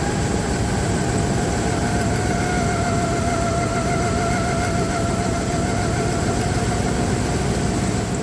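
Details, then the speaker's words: Dodge Ram 1500 rough idle with an uneven, stumbling beat and dropped pulses; one cylinder misfiring, checked by pulling plug wires and listening for arcing. "When it's misfiring, you pull the wire, then it should hear like a tap, tap, tap, and it should be pretty loud because that's what you hear arcing from the ignition wire to the spark plug to the closest ground."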